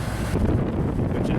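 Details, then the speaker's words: Xplorer RV roof air conditioner running on a new deep-cycle battery: a steady low air rush over an even compressor hum, with no rattles or clicking. The compressor kicked on and the air is getting cold, so it's running normally. "I just heard the compressor come on so we're gonna feel if this thing gets cold I hear the compressor running"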